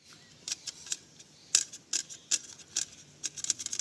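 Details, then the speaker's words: MTB bicycle with internal cable routing, riding on trails: sharp irregular ticks and light clatter, a few per second, with no drivetrain hum; loose internal brake and gear cables rattle inside the frame. "आवाज आप सुन का रहे होंगे जो bike move होती है trails में तो ये ऐसे बजाने लगता है जो बहुत अनाउंसिंग आवाज होती है"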